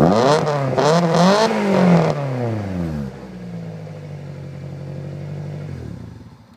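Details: Toyota Celica previously bogging/lagging, now repaired: petrol engine blips up and down cleanly twice then drops back to steady even idle, no misfire.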